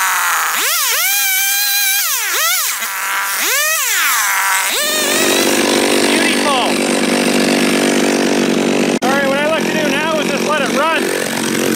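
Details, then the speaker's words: John Deere EV45 two-stroke chainsaw, made in Japan, after a carburetor rebuild, cutting wood. Crisp revs rise and fall cleanly, then settle into a steady cutting drone without bogging or stumbling. Running properly. "let it sit there and run for five ten minutes maybe idle it and then juice it and see what happens"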